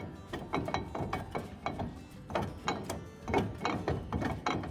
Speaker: This car came in because of a little bit of a clunking noise.